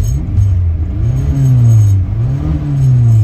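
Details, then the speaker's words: 1967 Austin Cooper S revived after eight years, on test drive around 45 mph, temperature rising, oil pressure good: deep engine note rising and falling smoothly with no misses or knocks, revving cleanly as the valves clean up. "revving up like it should I can tell that the vals are getting cleaned up the engine starting to run really well now"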